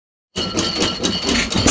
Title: 1915 Stover 6HP Running💪 (The Ugly "Clicking sound is just the Fairbanks Morse magneto conversion)